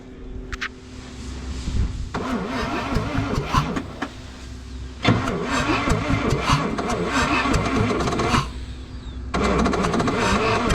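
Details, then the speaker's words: 1968 International truck with engine from a 1976 Scout II, first start in years, inline spark tester fitted before ether: three bursts of steady normal-speed cranking, never fires. Cranks but no start. "let's go ahead and crank it and uh see if we're getting sparked down here and then we will go grab some ether and shoot a little bit into the carb and uh see see if we can get her to fire"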